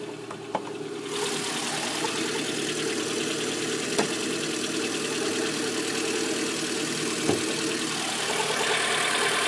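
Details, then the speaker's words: Lada Granta at cold idle: light, uneven knocking tapping over the engine hum, about three per second, quieter than usual and louder when colder; cold-start knock, cause unknown. "Это еще тихо, иногда, когда холоднее, еще сильнее."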